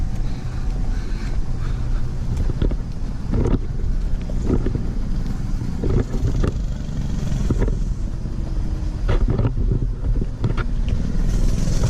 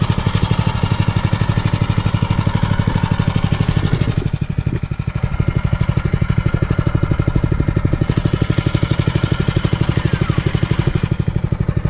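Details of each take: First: New Mega Moto 212cc Mega Max minibike on its first rides, revved hard passing the microphone: small single with wind rush and several sharp pops on and off throttle; backfire under acceleration. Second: Mega Moto 212cc Mega Max minibike, brand new, first start after assembly with fresh oil and about 9/10 gallon gasoline; idling about 5 minutes on run position after choke warm-up before break-in. Steady, even single-cylinder thump, no misses or knocks; normal warm-up idle.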